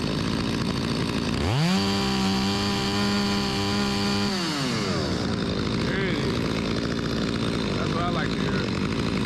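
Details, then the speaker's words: Stihl 025 chainsaw that would not start when hot (flooding), after carburetor replacement: it catches, revs to a steady high buzz, then drops back to an even idle and runs clean; chain is dull. "It's pretty good. The chain need to be sharper, but ain't gonna win no contest, but pretty good. Rips, baby."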